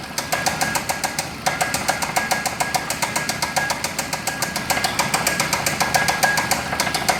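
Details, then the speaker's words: Chrysler/Dodge 2.4 L engine running with no coolant and no water pump, now starting to overheat and smell hot; sharp, hard metallic knock about three to four times a second, loud and persistent, tapping said to quiet as it heats. "Overheat your car, it'll make the tap go away."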